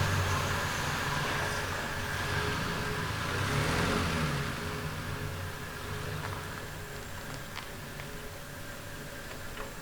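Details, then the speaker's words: 1970 Triumph TR6 petrol six, first start and drive after restoration, cold at −6 °C and smoking a little: light quick valve clicking from the top end over engine and road noise, with a few backfires. Valve tick suspected, not confirmed. "oops and I can hear the valves clicking already so we are going backfires a little"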